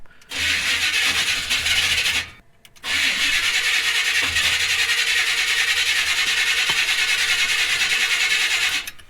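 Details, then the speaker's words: 1976 Chevrolet C30 dually pickup, 454, just fitted with Holley Sniper EFI and HyperSpark, old mechanical pump line disconnected: steady starter whirr about three turns a second, twice, one brief pop but no catch; cranks but won't start, owner suspects timing. "it's not really doing much it did pop off for a brief second so i'm not gonna roll anything out yet let's try it again [Music] we're not getting anything all right we got nothing we're not even popping off"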